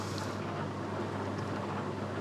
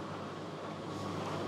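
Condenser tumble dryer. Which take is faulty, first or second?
first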